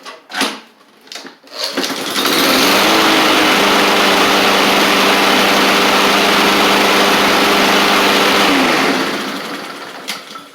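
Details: Husqvarna push mower with a Honda GCV160, whose knocking noise was suspected to come from a baffle being hit, tested after pulling the baffle back. It starts after a few pulls, runs at an even high speed with no clunks, then winds down. Normal running.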